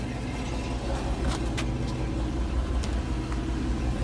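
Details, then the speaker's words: 1990 Ford Mustang after distributor work and base timing set, fixing the crank-no-start; steady, even low rumble with no knocking or missing beats: normal running. "Okay, fire it up. That's a lot of dirt. All right. Well, that was a success."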